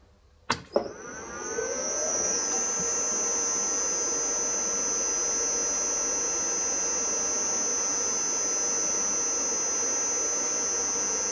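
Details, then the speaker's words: Victor lathe electric drive motor after bearing and seal replacement (before: rumbling and a squeal when warm): spins up quickly to a smooth, steady hum with a clean high whine, no squeal or rumble. Normal motor run. "right. All appears to be well."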